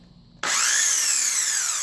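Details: Craftsman Twin Cutter saw #25574, test run after replacing carbon brushes (SRT50), cover screws not yet refitted: switches on sharply to a strong steady high whine, no sputter or cutting out; normal running.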